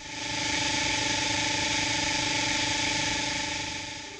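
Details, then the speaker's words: Pipe and cable locator receiver: a steady tone with constant static hiss, showing a distorted signal when the tracing line is fuzzy; a sharp line gives clear audio. "when the tracing line appears sharp the audio will sound clear when the tracing line is fuzzy the audio will contain static"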